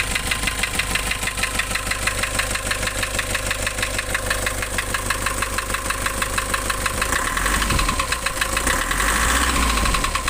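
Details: Nissan Urvan Estate E25 with the ZD30 diesel: sharp, regular knocks of about three per second above the idle, heavier than normal clatter; a deep internal engine knock.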